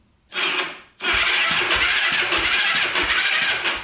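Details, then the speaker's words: 2006 Yamaha YFZ450 Special Edition quad, bought in pieces, first start attempt on a jumper: a short starter burst, then about three seconds of steady fast cranking with no firing; no start, a faster jumper needed. "does crank over that's a good sign um let's let's see if it will start up connect the jumper to it and see if that does anything sign let's see if that does anything for us it doesn't look like it no go"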